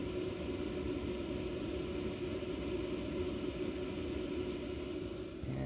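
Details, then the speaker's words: New CyberPower CPS1500AVR UPS with no load and battery charged: after the self-test a loud thump, then the cooling fan ramps to full speed and stays there, a steady rush of air with a constant hum. "turn it on self-test complete loud thump and then the fan just goes"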